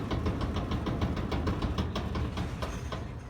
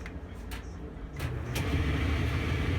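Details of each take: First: LG super-capacity gas dryer DLG2526, drum turning: rough low rumble with a loose thump about three times a second from a bad drum support wheel, later repaired. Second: LG gas dryer model DLG2526, after repair: a steady low drum rumble builds to an even, smooth run with no scraping or thumping; normal dryer running.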